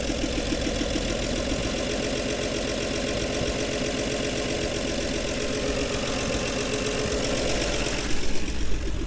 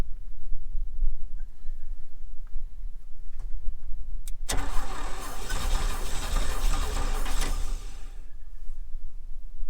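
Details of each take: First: 1961 Chevy Bel Air 235 inline six, parked since 1981, idles steady and even with a soft regular putter, no knocks or misses, on day three after new gas tank and starter switch; healthy idle. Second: 1961 Chevy Bel Air 235 inline six, parked since 1981: steady churning crank for several seconds that never fires; points gapped too wide at 0.030 in, no usable spark; reset to 0.017 in and it fires.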